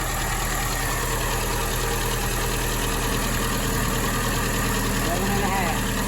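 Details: 1961 Triumph TR3A four-cylinder, warm, after carb work, twin carbs being synchronized with airflow gauge: low steady idle, even beat, no misses, knocks or hunting; running normally.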